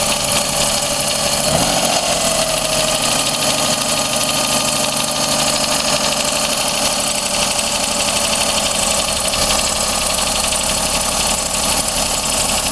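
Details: Daihatsu Cuore L7 EJ-DE petrol engine, 135,000 km, starting and settling to idle with a fine, fast metallic ticking tied to revs. Not from the cylinder head; louder when cold, quieter as it warms and in summer. New filters, plugs and 0W-40 oil. Cause uncertain.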